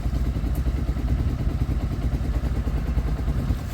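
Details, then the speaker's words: Sinnis fuel-injected motorcycle warming up: quiet, even putter with steady low pulses, no knocks or rattles; normal idle. "look how smooth these bikes are. No issues at all. You can barely hear this one on, look. It actually is"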